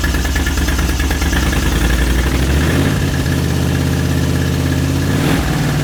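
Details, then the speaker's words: 1980 Moto Guzzi Le Mans Mk2 850cc V-twin, restored, about 20,600 miles, just started on a little choke: steady, loping low thump at idle with one small rev blip, no knocks or rattles. Normal idle. "Turn that off before it runs out of fuel. But how good does that sound, folks? How good does that sound?"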